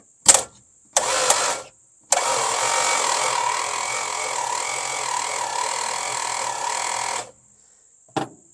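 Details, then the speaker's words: Long-sitting slant six after points and condenser fitted, gap set, battery grounds cleaned: two short bumps then steady cranking about five seconds, never catches; crank no start, no spark, owner suspects interior wiring. "Thunder nothing see if we got any spark here anything at all come on show me the love got no spark"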